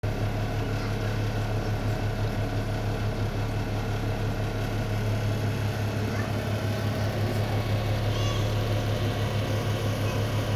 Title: Range Hood Vibration and Loud Noise